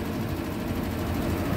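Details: Hitachi SF-120HJ top-load washer, treated for a loud spin, now with new 65 cm shocks replacing the 66 cm originals. A steady low drum rumble runs through the spin with no knocking or banging against the cabinet; the suspension holds the tub fine.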